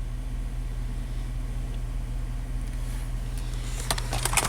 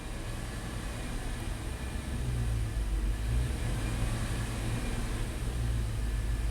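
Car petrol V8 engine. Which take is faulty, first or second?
second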